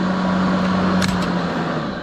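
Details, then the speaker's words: Kobalt 80V Max battery lawn mower, used 4 years without issues, recorded on a GoPro: steady low hum with even blade whirr, no catches or rattles; owner thinks most of the noise is the blades, not the motor; normal running. "And the loudest part about that for me really is those blades. So I don't know how much of it is the actual motor itself, but I think the blades are fairly loud."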